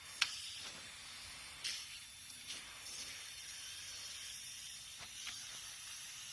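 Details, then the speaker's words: Rebuilt air compressor left pressurized with the motor off: steady thin high hiss, compressed air escaping at the gauge threads, which were screwed on without sealer; fix is to remove and seal them. "if I I remember now I didn't put that gauge on properly I just screwed them on without putting any additional sealer on it"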